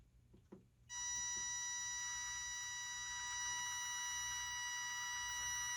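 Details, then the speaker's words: Used RC car with its speed controller beeping nonstop for five seconds after power-on; no forward or reverse, though steering works. Owner suspects it needs calibration or the motor has failed. "beeping it's making a lot of noise it's turning okay i got no forward no reverse as if it's not calibrated"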